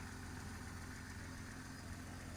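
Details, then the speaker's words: 2002 Jeep Grand Cherokee Laredo that was starting briefly then cutting off, after cleaning a corroded battery terminal and restoring a full ground: starts right up and idles quietly and steadily, no knocks, misses or surging. "so guys it start right right up and it feels a lot stronger than what it was"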